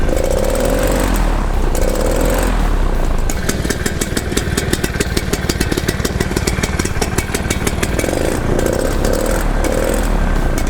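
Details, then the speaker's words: Paramotor two-stroke on test run after engine problems and an exhaust that rattled loose. It revs up and settles into a steady, even beat with no misfire or rattle, in the rain. It sounds much better and is running healthy. "sounding much better can't hear it and pull out at the same time"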